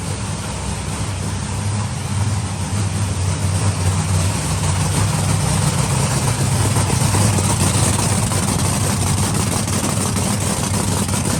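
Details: Monster truck supercharged V8 idling before timing check (target 32°, suspected slipped due to hard starting; measured 31–32°, spot on; starter may be weakening); deep heavy idle with even lumpy pulse, no misses, running cleanly.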